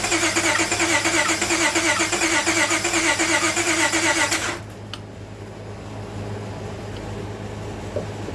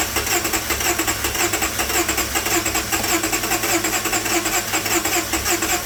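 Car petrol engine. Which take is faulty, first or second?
first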